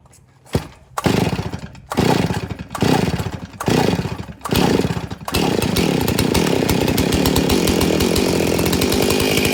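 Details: Stihl 034 chainsaw, hard to start, fuel line broken and half gone so it can't draw from the tank; mixed fuel squirted down the carburetor throat: five rasping pull-starts, then it catches and revs briefly, starved of fuel.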